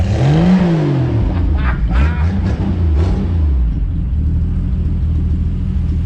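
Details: 1975 Plymouth Duster Slant 6 after carburetor cleaning/rebuild and temporary exhaust with cherry bomb style muffler: pitch climbs and drops smoothly with a quick blip, then settles to an even, deep idle; normal revving.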